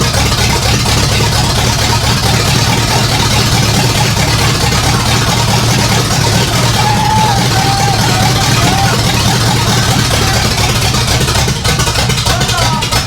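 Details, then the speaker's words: 1964 Ford F100 V8, first run in 20+ years, no exhaust fitted, 20 psi oil pressure: loud, raw, even rumble with a steady beat, no knocks or misses; normal running. "yeah woo she's a loud one with no exhaust huh"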